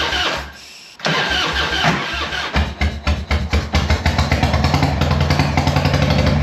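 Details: Harley-Davidson Evo 1340 Heritage Softail that stopped running after an 800 km ride: cranks and catches, then stumbles with lumpy uneven firing into a ragged idle, smoke from the carburetor.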